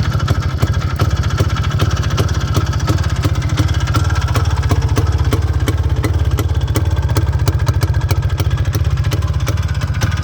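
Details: IZh Planeta 5 two-stroke motorcycle after fixing a no-start ignition problem (not the coil): steady, even idle putter with clean regular beat, no misses or rattles; running healthy.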